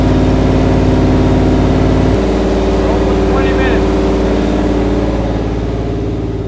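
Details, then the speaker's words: Freshly built low-compression 440 V8 (9.3:1 flat-top pistons) for a 1970 Challenger, on the dyno: steady, even rumble with no knocks, ticks or rattles; no vibrations or leaks, timing still to be set; normal running. "I got no vibrations no water leaks no oil leaks timing will have to be set up again right now and I hear no noises in the engine sounds good"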